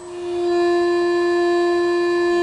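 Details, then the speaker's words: Yaskawa Sigma-5 rotary servo, servo on just before starting advanced auto-tuning: loud steady tone rises in and holds; servo loop oscillating from untuned gains, before auto-tuning applies a notch filter. "you can hear it, it's oscillating."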